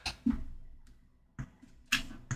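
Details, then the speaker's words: Apple HomePod being plugged in: several sharp thumping pops with short ringing tails at power-on (also expected at unplugging). Suspected failing power filters. "Oh boy. Yep, that's a fair bit of popping, so definitely sounds like this could use some new filters."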